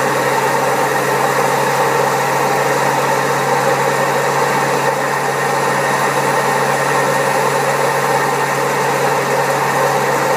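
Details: Old Servis Caress 1300 A washing machine, also with a creaky pump, spinning at 1300 rpm: loud steady roar with a rough, gravelly edge through the whole spin; very bad drum bearings.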